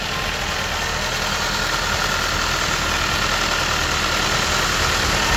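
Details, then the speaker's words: Copart auction titanium-trim car bought as not starting, battery reconnected: rough, uneven idle with a steady knock about three per second under the engine drone, engine shaking; owner suspects internal engine damage hidden by the seller. "of course the engine is shaking because let me show you looks like this is a client's car this is is not insurance car because there someone remove one thing okay let me you can hear the sound this is a totally Shi engine"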